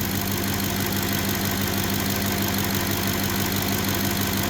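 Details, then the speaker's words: 2010 Ford F-150 5.4 V8 with about 180,000 miles, wrench light and oil-change light on after towing, warming up before oil change: smooth, even idle, no ticking, knocking or misfire; not in limp mode. "but that doesn't sound like it's in limp mode to me that thing do that sound pretty sweet 180,000 miles"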